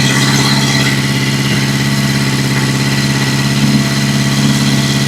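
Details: 1982 Yamaha XJ650 Seca, first start in almost 5 years after carburetor float level adjustment, throttle not yet hooked up: fast, even firing beat with steady low hum and no misses or knocks; healthy settled idle.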